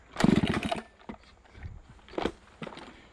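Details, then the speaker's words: Chainsaw revving after fixing an error in the carb-opening linkage that kept it from revving up: snaps to full revs in crisp bursts and drops cleanly to idle, pulling strongly with no bogging; runs properly. "Just so y'all know, I figured out what's wrong with my saw, why I ain't been revving up, and it's fixed. So, yeah, we're gonna need more skidders. Pretty much. Now she's running."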